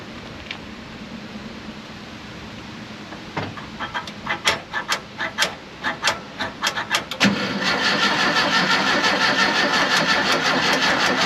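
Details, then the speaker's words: 1968 VW camper bus, sat over 10 years, engine just reinstalled, gas poured in carb: starter churns steadily about three a second but never catches; no spark because distributor rotor was left out. "i'm still getting nothing did i put uh oh look look look look what's missing right here right there what's missing yeah yeah uh huh i'm dumb yep i forgot why i did that but i pulled the rotor button out"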